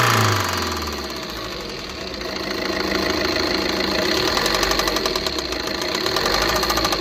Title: TATA INTRA V30 BS6 KNOCKING SOUND